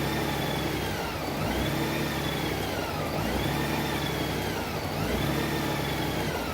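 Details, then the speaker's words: 2012 Honda Goldwing during warm-up. At about 61–63 degrees the PAIR secondary air solenoid valve engages and the engine starts stumbling. At steady speed it dips and lugs every couple of seconds; no fault codes are set. "So when it gets there, 61 degrees, it gets there, it's going to start stumbling that. See that pair solenoid valve will engage. There it is, 63 degrees."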